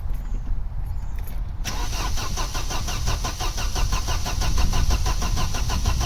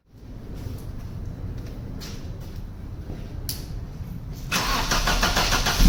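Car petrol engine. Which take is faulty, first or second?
first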